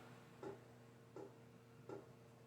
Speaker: oh that's my fan if y'all hear that knocking that's my fan is I guess off balance up front or up there